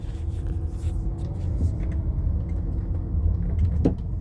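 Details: 2013 Chrysler 200, recorded from inside while driving over small bumps: over low road rumble, a couple of short hollow knocks or clicks come from the front suspension at each bump. Something loose up front is suspected, cause not confirmed.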